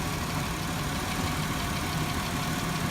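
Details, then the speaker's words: 2004 Chevy Impala idling at 1300 RPM after a Steel Seal head gasket repair, warm on the third run: even idle with an occasional faint stumble in the low rumble; misfire suspected on cylinder 6, plugs to be checked. "idling at 1300 RPM. So. It's got a miss still. I think number 6 cylinder is still missing a little bit."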